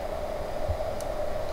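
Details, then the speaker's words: Opel Astra H Caravan battery on a charger set to motor repair program, connected minus then plus, left running overnight; steady soft electrical hum with faint hiss, charger running normally through its repair cycle. "und ihr macht jetzt hier los am plus und dann läuft das jetzt die ganze nacht durch"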